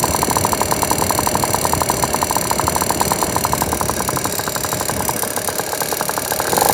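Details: Piaggio NRG scooter after a new crank, crank bearings and cheap 70cc big bore kit: fast, sharp ticking in step with the idle, seemingly from the top end. Head checked and the piston is not hitting; cause unknown.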